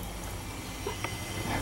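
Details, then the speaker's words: New natural-gas forced-air furnace, converted from fuel oil, with jets and hot-surface ignition and no pilot; steady low rumble with even airflow hiss, no knocks, rattles or surging; running normally, quieter than conversation. "got the furnace running here you see it doesn't use burners it actually uses Jets and there's no pilot just uses a hot surface ignition and it's quite quiet it's uh about it's quieter than conversation"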